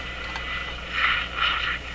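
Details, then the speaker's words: Zenith 6J05 tube radio after replacing the power supply filter capacitors to cure a strong hum: set powers up with only a soft hiss and faint static swells and no low mains buzz, the new filters working. "there we go no hum now those work"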